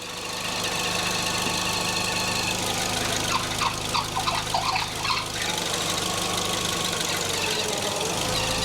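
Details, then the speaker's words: 2001 VW Beetle 1.6 petrol 8-valve idling with the belt tension eased: a squeaky belt chirp that shifts as tension changes, caused by a worn AC compressor that also makes noise when turned by hand. "when you turn the air conditioning pump by hand it makes a slight noise i can demonstrate by taking the tension off of the belt with the engine running so you can hear it chirping away"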